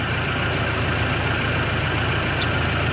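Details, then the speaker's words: Toyota Hilux 2WD after an exhaust leak at the block-off plate was fixed (one nut missing, one loose). It has a smooth, steady idle with an even low rumble and no puffing or ticking, quiet like a sewing machine. "Our exhaust leak should be quieter than it was this last time around, so let's find out. Look at that. Quiet like a sewing machine."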